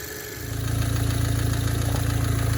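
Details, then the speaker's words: Tuned Audi B8 direct-injection engine starting and idling: even idle with quick light ticking over low rumble, normal injector noise, no knock or lifter issue. "This is a normal sound. Your engine is not knocking. You don't have issues with your lifters. This is going to be how a direct injection engine sounds."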